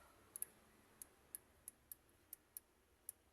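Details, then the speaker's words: 2006 Maruti Swift petrol injector with misfire complaint, bench-tested off the car with battery and direct ground; sharp crisp ticks about three a second, slightly uneven, with small sparks: this injector clicks normally and is good. "ये देखिए ऐसा sound आना चाहिए दोस्तों। ये देखिए, शायद ही video में आवाज़ आ रहा है, लेकिन थोड़ा स्पार्क भी हो रहा है और क्लिक क्लिक साउंड भी आ रहा है दोस्तों। वो इंजेक्टर ठीक है।"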